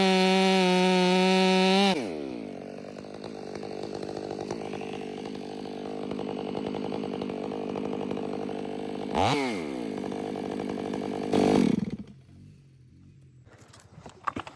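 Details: Ported Stihl MS500i (Empire Workshop) on a 32-inch bar with an unmodified MaxFlow plug-and-play air filter: high clean scream, then pitch pulls down into the cut and holds firm until it frees near twelve seconds; strong, healthy.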